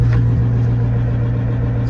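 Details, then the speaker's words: GAZ 66 truck recommissioned after winter, started with a little choke, idling as main tank pressure builds: deep steady hum, no knocks or misses; normal idle. "So, idling away. It's up to 6 and 1/2 bar, which is where it's blowoff pressure is."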